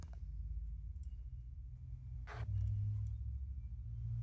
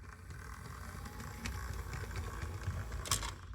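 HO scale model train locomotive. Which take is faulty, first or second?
second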